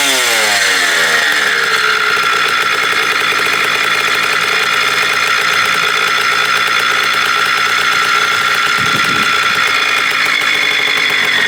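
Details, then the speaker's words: 1987 Kawasaki KDX80 two-stroke on fresh premix, first start during restoration of a non-running bike: crackly buzz with wandering pitch, struggling to hold speed and never settling into a steady idle; owner says most of them don't idle right. "oh most of them don't idle right"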